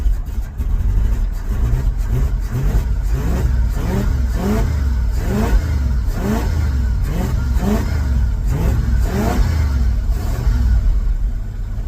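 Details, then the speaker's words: Ford F350 dump truck V8 after mechanical fuel pump replacement, diaphragm had been eaten away; revs climb cleanly but idle stumbles and is uneven, possibly missing, dislikes choke, then dies. Rough idle. "it sounds healthy when it's revving it feels healthy now it's it's oddling I'm not going to let it run too much longer because of all the crap that's on this Valley H it's probably going to die"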